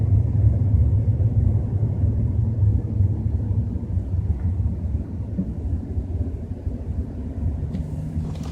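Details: BMW 320i while driving at 30–40 km/h: steady low droning rumble with loose uneven throb; source unclear.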